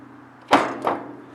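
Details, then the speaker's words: 1948 Cockshutt 30 tractor, new 6V battery, in neutral, push-button starter: two sharp clunks as starter engages but no cranking; something jammed on flywheel side, owner suspects gummed up or too much compression, plans pulling plugs. "you can hear it's just trying to crank but on the flywheel side something's jammed up so with these old tractors sometimes they just get gummed up from sitting around"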